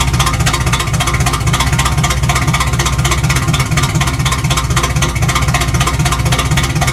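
Uneven, lumpy pulsing at about four beats a second with the whole engine shaking; it's running rough and needs tuning.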